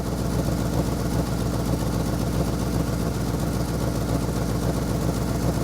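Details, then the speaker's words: Ford F100 390 FE V8, worn engine needing rebuild, idle mixture screws reset to 1.5 turns: lumpy, stumbling idle; owner thinks it fires on six maybe seven cylinders; misfiring rough idle. "do a burnout firing on I think six maybe seven cylinders"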